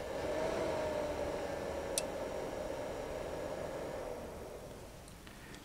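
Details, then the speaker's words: Icom IC-7300 radio: the stock rear fan spools up loudly when keying up to transmit, a rushing sound with a steady hum near 600 Hz that eases as it slows. The fix is a quieter Noctua NF-A8 PWM fan. "How many of you have the Icon IC7300 and when you key up and calling CQ or having a Ragu, you always seem to hear the fan behind the radio spool up just like this."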